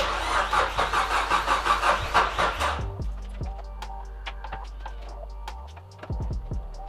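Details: Nissan S13 200SX CA18DET, after a fallen pin let the cam belt jump a couple of teeth: starter churns steadily about three turns a second for three seconds, no firing; crank no-start from cam timing out.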